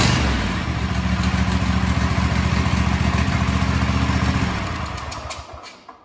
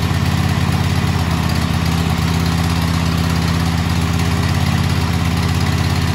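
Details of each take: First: Kohler KT735 24 hp twin-cylinder engine (7000 series) on a Cub Cadet SLX50 mower thumps steadily, then a swishing leak sound at shutdown; blown head gasket suspected, or possibly exhaust. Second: Kohler KT735 24 hp twin-cylinder (7000 series) on a Cub Cadet mower after head gasket replacement: even steady idle with regular thump, no whooshing at shutdown; normal running.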